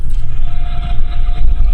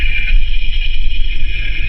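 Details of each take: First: Ford Explorer on a lift, heard through chassis-ear channel four on the rear differential: a thin steady whine above heavy rumble under throttle that goes away off throttle; rear differential gear whine. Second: Ford Explorer with driveline whine, chassis ear sensor on the front differential: low steady rumble with only a faint light whine; front diff normal, rear differential found to be the noisy one.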